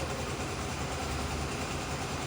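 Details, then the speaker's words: Honda CBX 250 Twister after its engine noise was repaired in about 20 minutes: steady, even single-cylinder idle with a smooth low thrum and no ticking or rattle; the noise is gone and it sounds healthy. "Então vocês podem ver aí que barulho zerou, ficou apenas o barulho natural do motor dessa moto."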